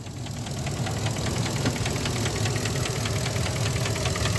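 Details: 2017 Ford F250 6.2L gas V8 idling with a light, sharp tick about four times a second, traced to the intake manifold runner control; unplugging both blue IMRC plugs stops it, and the whole intake manifold needs replacing.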